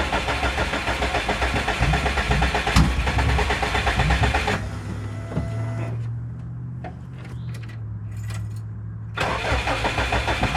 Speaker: You can as I get back to the close here, you can hear the exhaust leak.